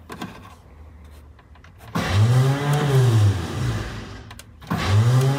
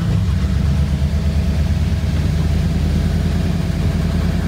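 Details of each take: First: 1985 Ford Bronco of unknown condition: two bursts of free whirring starter whine with no cranking beat, even after hitting the starter with a hammer; starter spins without turning the engine, so it needs a new starter. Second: 1985 Ford Bronco V8 revived from unknown condition, after new spark plugs installed; deep steady burble at quick even idle, no misses; idle speed rising with each change, normal idle.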